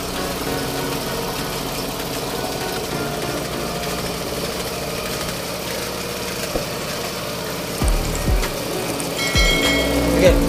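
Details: Suzuki Avenis 125 scooter that had no idle and stalled, after cleaning the ISC and manually calibrating it (turned eight times back): now holds an even, steady idle without stumbling, music in background.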